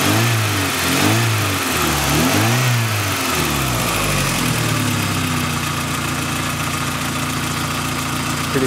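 Engine blips up and down a few times, then drops to a steady, even idle with no knocks or rattles; sounds healthy.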